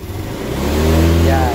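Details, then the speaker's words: Honda Beat scooter after replacing a dirty, faulty fuel pump and clogged fuel filter that caused misfiring and delayed throttle response; engine revs cleanly and smoothly with no stumble or hesitation; throttle responsive again, problem solved; smooth revving. "dire-diretso na siya Okay so yun so solve na yung problema nitong Honda beat na to"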